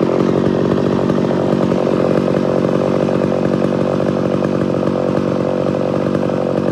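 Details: Homelite Super XL-925 82cc vintage two-stroke chainsaw, governor blocked off: steady high revs with slight uneven burble when lifted from cut; intended four-stroking off load, not in a good cut.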